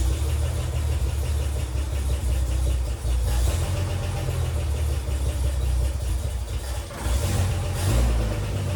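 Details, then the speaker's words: 1957 Chevrolet Bel Air inline-six, started after sitting for years, dies off throttle: low, lumpy idle sagging and surging every few seconds; rough running, later traced to a missing part in the carburetor choke mechanism. "I got it to start and drive into the garage, but as you can hear, it just doesn't run too well."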